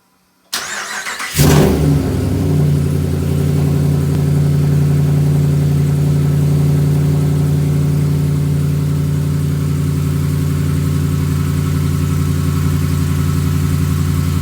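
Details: 2015 Ram 5.7 Hemi V8 with long-tube headers, almost 18k miles: starts and settles into a deep loud idle with a faint uneven knock. Recently started, less noticeable when warm. Owner suspects Hemi knock or piston slap; unconfirmed.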